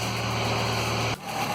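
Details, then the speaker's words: 2005 Ford Fiesta after replacing spark plugs, HT leads and coil pack to cure a misfire: steady even idle with a smooth low hum and no stumble before shutdown; misfire gone, leads suspected as the cause. "Right, so far so good, no misfire."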